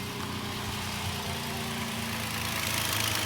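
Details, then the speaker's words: 2008 Toyota FJ Cruiser idling with serpentine belt removed to diagnose idler pulley whine: steady even idle, low rumble, no high-pitched whine; belt-driven pulleys and alternator not spinning, so idler pulley noise isolated. "So this is the noise that you're doing. You don't want to leave it running like this for too long because it can drain your battery because that alternator's not spinning."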